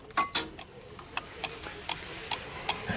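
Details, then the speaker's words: 1999 UpRight SB60 boom lift whose platform controls go unresponsive after minutes, switched to platform mode: sharp, irregular dry clicks, two to four a second, relay points chattering without latching; cause suspected in the platform controller, not confirmed. "you hear clicking this relay right here is here you can see those points clicking"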